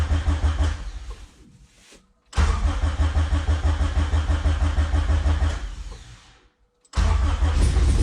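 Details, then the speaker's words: Honda Civic, rebuilt engine fitted about a year earlier, first startup, dash removed, exhaust disconnected at the rear: cranks, catches and settles to a loud, raw, even open-pipe idle, restarted twice, running smoothly; normal idle. "Alright guys, so I was able to get this thing started, so I think it sounds pretty good."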